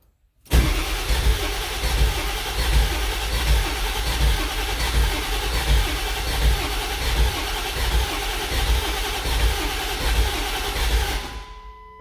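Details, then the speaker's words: Ford 7.3L Powerstroke diesel: steady starter cranking for about eleven seconds that never catches; no-start suspected from low injection control pressure, with a high-pressure oil leak and about 50 psi at crank; bad high-pressure oil pump or IPR valve suspected. "Alright, we're gonna see what she's calling for with oil pressure, because I'm wondering if it's just not getting enough ICP to fire."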